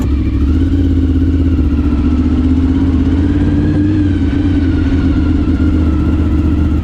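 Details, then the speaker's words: 30-year-old Honda VFR 750 V4 idling after exhaust replacement with a used stainless steel system, some wind noise: deep even rumble at steady idle, no ticks, knocks or exhaust puffing; healthy, exhaust leaks gone. "Smooth rides, perfect sounds, and finally no more leaks. This is what make riding an old motorcycle so damn satisfying."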